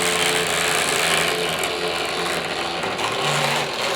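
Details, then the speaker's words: Hornby R504 Inter-City Express set model train from 1973: high busy whirring and rattling from the small motor and bogies, about four beats a second, even with no harsh grinding; noise changes as it speeds up; runs normally. "Yeah, you'll notice that the noise does change when it speeds up. Yeah, not bad at all that."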